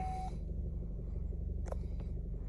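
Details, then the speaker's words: 2013 Chevy Cruze after replacing the turbo bypass valve and purge valve, fixing codes P0171, P0304 and P2261 and a rough, bouncing idle. A brief chime, then a low, steady, even hum with no hunting; check engine light gone. Normal idle after repair. "Idle is now stable. It was bouncing around like crazy earlier."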